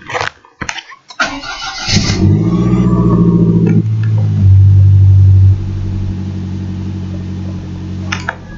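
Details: Lancia Delta Integrale Evo2 during ECU read with lanciatrek: cold engine cranks, fires, revs briefly, then settles to an even, smooth cold idle with no misses, knocks or rattles; healthy, coolant temperature starting to rise.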